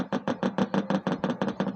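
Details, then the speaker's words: Hyundai Ultra Slim CRT TV, dead fault, on series bulb: once the bulb turns off the speaker gives rapid tuk-tuk pulses, about five or six a second, standby light on but no display or response; fault not yet traced. "यह सन सकते हैं आप सब यह आवाजें हैं ठीक इसका मतलब टीवी ऑन है लेकिन फिर भी डिस्प्ले पर कुछ नहीं दोस्तों"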